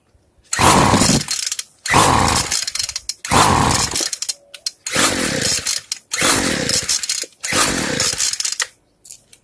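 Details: Free two-stroke weedeater during carburetor tuning, fuel screw being closed little by little before a full-close, 1/8-turn-open reset: about six short high-revving bursts, each dying after a second; it fires but won't keep running.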